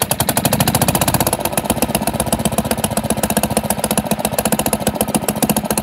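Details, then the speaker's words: 1947 Pond lever-steer tractor running smoothly at idle, steady exhaust beat with no shake, after clearing a mouse nest caught on the flywheel/pressure plate outer edge that had caused severe vibration in any gear and in neutral. "all right that is awesome that definitely was the problem"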